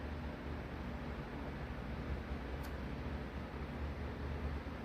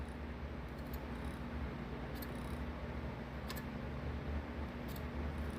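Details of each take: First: RTX 3090 Strix GPU in a mining rig, reference healthy fan: steady even whoosh with low hum and no clicking, unlike the clicking, slower-spinning faulty fan. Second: there's a crazy clicking sound when that thing spins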